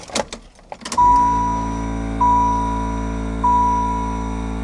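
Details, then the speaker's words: Saturn EV conversion, newly installed electric brake vacuum pump switched by a vacuum switch and relay: whining pump cuts in for short bursts about every second at switch-on and on each brake tap; short-cycling, owner unsure if normal. "so there's two little couple little spurts here and there and it seems to hold air now at this point but as the instant that I touch the brake pedal it comes on"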